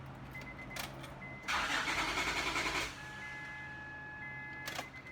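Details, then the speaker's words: Honda Odyssey (2005–2010) with about 190,000 miles, fuel pump working: starter churns for over a second before the engine catches and settles to idle. Long crank because a faulty fuel pressure regulator lets pressure bleed back to the tank. "that's because the fuel pressure regulator is not working the pressure is bleeding back into the tank"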